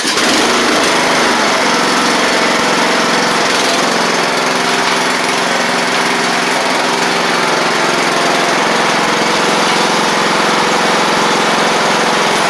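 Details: Craftsman riding mower after brake repair, restarted: loud, steady engine drone holding an even speed with no misses, knocks or surging; engine runs clean and the rider is done for running and driving.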